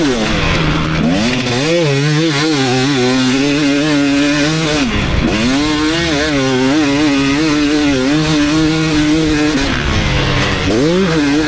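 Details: 2019 KTM 250SX two-stroke with Lectron Billetron 38 Pro carb: crisp rasp rising and falling cleanly through gears, almost no detonation after fine-tuning the carb; maybe slight pinging late in session when hot, torque jet may need another eighth turn.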